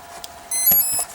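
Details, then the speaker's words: Durafly Komet foam RC plane ESC, propeller off, on 4S battery with throttle cutoff switch: four short high beeps at plug-in, then no motor response; controls work but motor never arms, same on 3S. "I'm getting 4 beeps. Oh, you can hear it. But no response from throttle. I do have throttle cutoff on this switch. And I'm getting these tones from the speed control, but no response."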